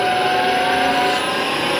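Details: Atlas Copco GX11FF compressor making a steady high-pitched whine above the even running noise at start-up and while running; cause unknown.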